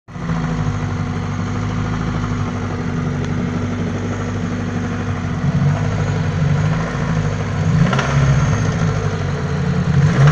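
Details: Daewoo Nexia 8-valve engine at idle; loose, irregular knock near four per second that grows louder as the revs climb; source of the knock unknown.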